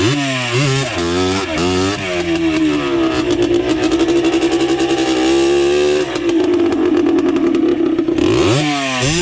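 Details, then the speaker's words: Yamaha Blaster two-stroke with minor porting, pipe and rejetting, with stator and flywheel swapped from another Blaster, riding at high revs; scream suddenly breaks up and rattles as revs collapse; loose flywheel. "uhoh I don't know what that was that didn't sound very good um something let loose I thought the pipe came off"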